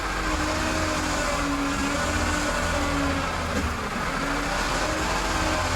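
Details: Honda CR-V whose power steering stopped working after sitting several years, after a fluid swap, wheels on the ground: engine hum with a low pump drone rising and falling as the wheel turns, no groan or squeal; healthy.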